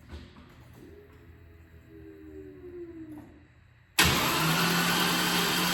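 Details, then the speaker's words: LT1 Camaro after heads pulled for coolant-in-oil, rebuilt valve train, Opti Spark unplugged, cranking for oil pressure: starter spins quick and even with no compression pulses; cause suspected, not confirmed. "So the last time we tried to turn it over, it sounded like no compression."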